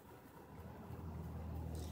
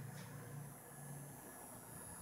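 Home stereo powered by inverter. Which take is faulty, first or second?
second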